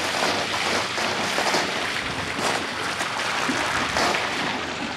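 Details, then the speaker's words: Pool system at 2017 season opening: irregular bubbling, hissing gurgle of water at the returns as air is worked out of the lines, with pressure then strengthening. "Now that one's gurgling. Spit now. Got a lot of air in the system to work out. But it will."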